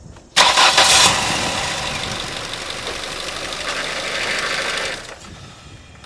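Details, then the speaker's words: Ford Focus Mk I (1998–2004) after power steering fluid refill: engine started briefly, harsh hissy high whine for about four seconds over idle as the pump may run dry drawing air. "the idea is to Simply run the pump for a few seconds that's going to suckle the new fluid into the system where there was air previously but it may run dry and you may hear that"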